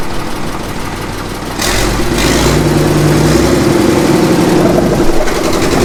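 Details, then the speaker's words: 1954 Caterpillar No. 6 shovel diesel, stored 15+ years, first start, decompression lever now fully off: catches into a firm, even chug around four beats a second with full compression; slight tick still noted; running normally. "That sounds better. The decompression valve is on. Alright, now she'll make power."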